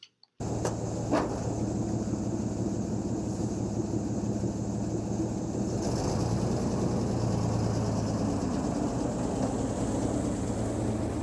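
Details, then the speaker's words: REO M-35 truck before head gasket problems: steady, throaty petrol engine idle with light upper-end valve clacking, normal stable idle without throttle blipping. "But it's as far as this truck goes, this is what we're considering a normal, stable idle. It is able to idle without any kind of intervention, without me having to blip the throttle or anything."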